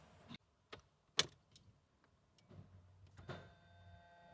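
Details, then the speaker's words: Porsche 986 Boxster S, 48,000 miles, sat in a barn 3.5 years, fuel pump just refitted: key and switch clicks, then low even hum with faint whine as the pump primes normally. "I hear priming. Hey, >> it lives. She lives."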